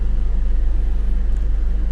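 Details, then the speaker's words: BMW E39 after fixing a no-start/rough-running fault with P0335 code: starts right up and settles into a smooth, low, even idle pulse with no stumble or hunting. "all right go and start it start right up no problems at all I don't want smooth and you hit the gas member before around almost at the floor"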